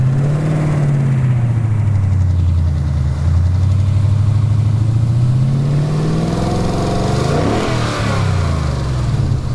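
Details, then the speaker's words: 2018 Ford Mustang GT 5.0 V8 after about 500 miles driven with an additive to fix the typewriter rattle: smooth revs climb and fall evenly with no ticking or rattle; the valvetrain noise is practically gone. "Practically, okay, the noise is gone. Okay, that typewriter noise that people talk about, practically gone."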